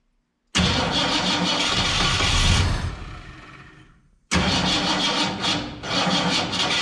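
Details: 1967 Ford Fairlane, not run in 7 years, timing adjusted: engine catches and runs ragged about two seconds, dies, then catches again. Won't stay running; owner unsure whether it is fuel and says the carburetor needs a rebuild.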